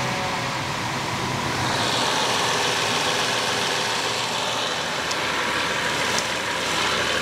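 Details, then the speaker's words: BMW 760Li V12 idling smoothly with air boxes off, after fitting original BMW crankcase breather valves (plugs, coils and hoses already replaced); the earlier high-pitched squeal is gone. "we don't have that high pitching squeal now"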